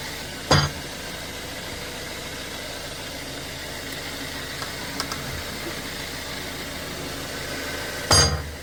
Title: 2018 Volkswagen Tiguan Suspension Noise from Front Left #vw #tiguan